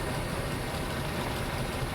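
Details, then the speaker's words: Jeep Liberty blowing warm AC after DIY refrigerant recharge, idling with AC on: busy uneven rattle from the AC compressor pump, quieting as soon as the AC is shut off; air cooler but not cold enough, compressor noise suspected. "The compressor itself, the the pump is very noisy. Like a rattle noise."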